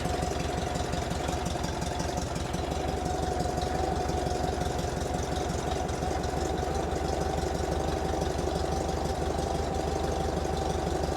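Steady, even low putter at idle with a faint higher hum riding over it; no knocks or misses, engine sounds healthy.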